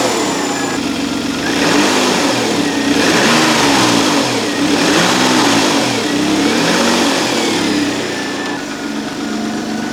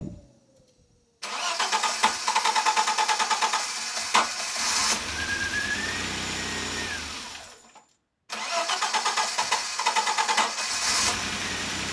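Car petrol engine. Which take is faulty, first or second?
second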